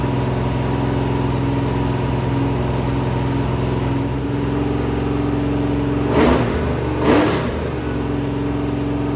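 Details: Rebuilt 426 Gen 2 Hemi crate V8 (new heads, intake, pistons) on run stand, flat-tappet cam break-in: steady high idle, firm low drone, two clean throttle blips, no cam tick or knock; normal.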